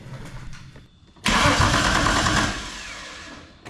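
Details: VR Commodore with a freshly swapped RB engine cranking under its new wiring. A steady, even burst of about a second and a half, then winding down; the starter sounds strong and healthy, with even compression of 135–144.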